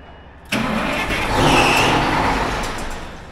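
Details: M1070 8x8 HET heavy equipment transporter diesel, first start in many years with low air: the starter spins the engine with a rising whir, then it winds down without catching; a fuel-starved crank, no start, and fuel needs bleeding.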